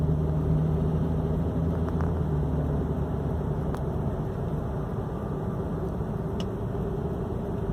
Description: My 335i has had a rattling noise when under load and in drive.